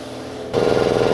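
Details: New Industrial Air IL1682066 two-cylinder belt-driven compressor, 110/220V motor, on 12-gauge extension cord, first run on auto: steady fast pumping thump with even motor drone, no knocks or squeals; healthy, normal running.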